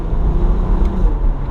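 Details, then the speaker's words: Rare dual-clutch VR6 sports car, salvage auction buy, idling after first drive: deep steady low rumble with even pulses, no knocks or stumble; smooth healthy idle, owner thinks it needs an exhaust. "I needs an exhaust what do you guys think come on idles good so smooth so smooth this engine is known for being around feel great"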